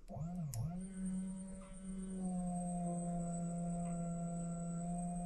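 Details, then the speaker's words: Foxbody Mustang 5.0 under reassembly, fuel pump hot-wired to flush lines into a pan after finding spliced pump wiring: steady low hum with thin high whine, pump running but no fuel delivered; owner suspects empty tank, not confirmed. "can hear the pump going see any fuel so maybe the tank is empty and if it was empty that'd be sweet it kind of sounded like it might be empty"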